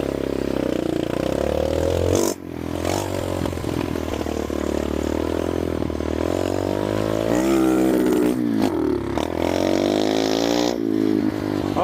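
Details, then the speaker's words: Revived abandoned mini bike with newly fitted carburetor, started first kick for an evening ride: small single-cylinder engine buzzes with pitch rising and falling smoothly with throttle, no knocks or misfires; runs well. "she runs pretty good. Oh yeah."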